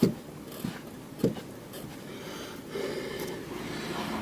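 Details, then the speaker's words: Nissan X-Trail T31 front suspension rocked by hand after lubricating the shock absorber bump stops, earlier blamed for creaking: only faint soft thumps, silence, no creak. "Итак, попробуем поскрипеть уже после смазки отбойников. Шатаю машину. Все, тишина."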